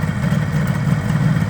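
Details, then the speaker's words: 1978 Kawasaki KH400 two-stroke triple after long storage, previously running on two cylinders, with the carbs just redone: steady, even burble with no misses or stumbles, all three cylinders firing cleanly. Normal idle. "oh sounds good yeah I think I think it is and now it's running on three"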